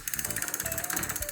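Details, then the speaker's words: Rapid rear-wheel ratchet clicking, about 13 a second, with a rough low growl underneath: worn freewheel (catraca), often mistaken for a hub or axle problem; replace it as soon as possible. "tá e a catraca lá a fadinha tá não precisa nem ficar pensando muito catraca tá substitui essa peça aqui o mais rápido possível"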